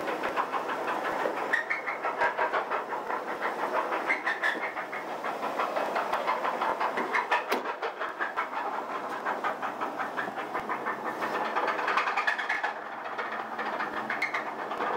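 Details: 1983 Chevrolet S10 4x4 2.8L V6 idling with a steady metallic knock about three raps a second; owner suspects rod knock on cylinder 1, not confirmed; transmission also sloppy.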